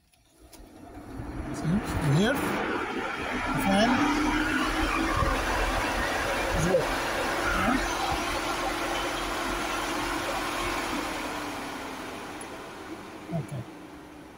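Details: 2008 Ford Edge radiator cooling fan, whose overheating fault was a bad fan relay connector, now bypassed with a wire and driven by a PWM signal generator in a final check: whir spins up to a steady, even hum, holds, then winds down; fan working normally.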